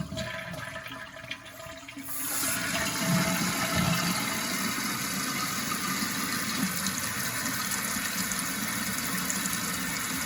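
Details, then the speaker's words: Toilet flush after replacing the handle and reattaching the flapper: a sharp rush of water, then an even, steady refill hiss with no gurgles or squeals. It sounds correct, though a noise later returned from a misturned plug. "Now it sounds correct."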